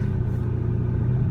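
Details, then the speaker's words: Car with dying fuel pump, running; deep rumble wavers and cuts out as throttle is added, revs only to about 3,000–4,000 RPM then falls, must keep pedalling to stay alive. Engine stumbling under throttle from weak fuel pump. "So this is how you know the fuel pump is bad, is you really have to pedal it just to try to keep it moving. So notice as I give it gas, it kind of cuts out."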